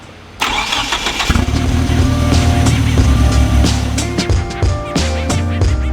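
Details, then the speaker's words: Fully built 4G63T in mid-engine Mitsubishi Eclipse, first heat cycle complete: steady even idle with light top-end ticking expected to go away with time; normal idle. "first heat cycle complete it sounds pretty good top end is still making a little bit of noise but that should go away with time"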